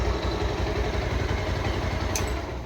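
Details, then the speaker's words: Bajaj Pulsar 150 after engine work with a cleaned oil pump, started and revved. Steady, even low thumping at a brisk idle with no ticking, knocking or rattle. White smoke seen before the work is now gone, so the engine is healthy. "இப்ப நம்ம வந்து வண்டிய வேலை பார்க்கறதுக்கு முன்னாடி start பண்ணி நல்லா race பண்ணி பார்த்தோம். சைனஸ் வந்து நல்லா வெள்ளை போக வந்துச்சு. இப்ப வெள்ளை போக எதுவுமே வரல."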